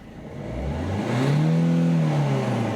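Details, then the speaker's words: Mini Cooper 1.6 HDi diesel after ECU reflash with EGR and DPF disabled in software (DPF already removed, pressure sensor welded; had limp mode, code 41-84, would not rev): engine revs up smoothly and returns cleanly, no errors; normal rev. "записав прошивку правильно все працює помилок немає А це ще раз запускаємо"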